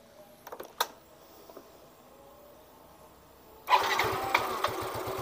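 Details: Yamaha Mio M3 125 scooter that ran rough, after idle (stasioner) part replaced and manifold tightened: a few clicks, pause, then engine fires and settles into smooth, even idle without rough knocking; normal start and idle.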